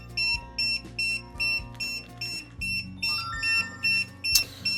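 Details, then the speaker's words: DJI Agras T50/T40 remote controller powered on right after replacing the right thumbstick module, before closing up; evenly spaced high beeps two to three per second because the new stick isn't calibrated yet; uncalibrated warning beep. "Turn it on. Should have the same beep because it's not calibrated yet, but at least you can calibrate it now."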